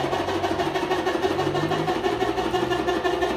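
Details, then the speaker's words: Whirlpool 18 kg top-load washer that would not spin, tested with the lid lock bridged: steady even hum with a soft pulse about three times a second, no knocking or grinding; normal spin, belt squeal ignored. "El único detalle aquí que pueden ver, que a la hora de que activó el seguro de la tapa, al instante empezó a centrifugar. Tiene fuerza, está exprimiendo sin ningún problema."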